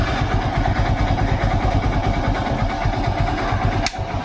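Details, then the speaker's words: Hero Splendor iSmart BS4 after starter (self) motor repair: electric start and running with an even low thump, no grinding or whirring from the starter; starter now quiet. "दोस्तों, वह बिल्कुल शांत यह हो चुका है।"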